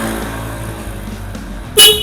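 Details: Yamaha RX King motorcycle fitted with Denso dual car horn via relay, ignition on: one short loud two-tone honk over idle; horn strong and clean, working properly after install.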